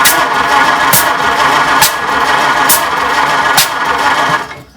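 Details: 1926 Oakland, unrun for about 75 years, cranked while checking timing and spark: slow, steady cranking with an even puff about once a second, no catching; spark confirmed at a plug and at number two.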